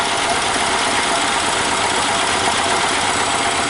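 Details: Robin ST350 engine in an EZGO Workhorse golf cart, cold-started on choke after a carburetor clean and starter change, fed fuel from a jug: it settles into a fairly even, hissy, rattly idle with no pronounced misses and runs nicely.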